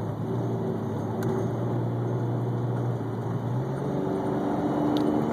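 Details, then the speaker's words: BMW E46 automatic, cold start: under smooth, gentle throttle the engine drone dips and jumps, with RPM sagging mid-acceleration before climbing again; it evens out when warm. Owner first suspected a vacuum leak, but the cause was transmission fluid about 3 quarts low. "I'm pressing smooth on the accelerator, as you can hear it kind of dip and jump and go from accelerating smooth to, you know, kind of dropping down in RPMs."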